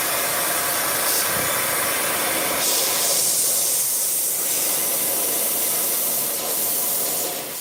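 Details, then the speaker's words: Tire valve leaking while a replacement core is tried: a steady, sharp, unbroken hiss of escaping air; the new core was then locked in with a long core tool. "Y'all hear that hissing sound? You gotta fix that. I got another one. Let's try this one. Y'all hear that hissing?"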